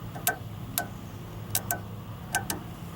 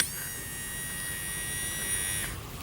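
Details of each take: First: Honda Odyssey sliding door closer motor, bench-tested on 12 volts while on its mechanism: six sharp uneven clicking clunks, the same as when the door fails to latch. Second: Honda Odyssey sliding door closer motor, removed from the latch mechanism and powered with 12 V: it buzzes steadily for about two seconds each way and runs fine, so the jammed mechanism, not the motor, is the fault.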